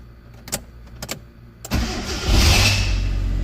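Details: 2002 Hyundai Accent (injector type, no distributor) with a crank-no-start problem and injector circuit low codes. With the ECU fuse fed power externally, a few light clicks are followed by a short crank that catches at once into a steady, even idle.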